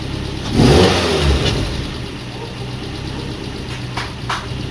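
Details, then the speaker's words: Mazda NC Miata with a swapped 2.5 engine, first startup after its clogged 2.5 injectors were found causing the no-start: the engine fires, flares briefly, then settles to a smooth, even idle with no knocks or misses. Normal idle. "Anyways, here's the video of the first startup. All right, ready?"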